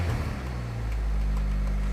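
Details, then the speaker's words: 1989 Honda Prelude after fixing a wobbling cam gear, started with cooling fans not working: brief crank then low even idle with slight ticking considered normal, no knock or clatter; engine sounds healthy. "everyone that says a ticking is normal do you hear a ticking a little bit that's within the realm of what I consider normal though oh it sounds great"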